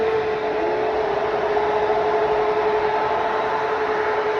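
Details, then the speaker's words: Fox-body Mustang just rebuilt and first fired up: electric radiator fan running with a steady, even mid-pitched whirring hum, no rattle or scrape; normal radiator fan operation. "all right so the rad van this one works"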